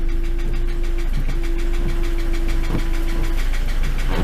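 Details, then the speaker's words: Ford Transit MK7 2.4 RWD diesel van at idle: loud rhythmic knock about three per second over the tick-over, heard from the engine; owner suspects the dual mass flywheel, cause still under investigation. "now as you can probably guess well by the noise it's making it's quite loud on tick over and there's a big knocking noise coming from the engine"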